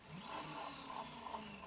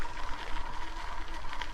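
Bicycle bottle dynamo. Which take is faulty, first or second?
second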